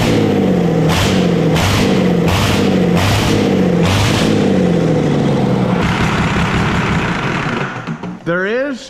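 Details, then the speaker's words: Dodge 12-valve Cummins diesel, just started with ether while smoke came from the starter: it runs with a rough, uneven growl and a chattering clatter in bursts. Owner calls it a bad internal noise; the cause is unknown. "some kind of an unfavorable growl probably a real bad noise I don't know what the [ __ ] it is that's chattered around in there"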